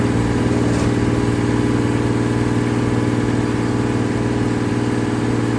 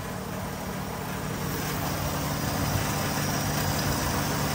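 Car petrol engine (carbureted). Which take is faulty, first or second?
second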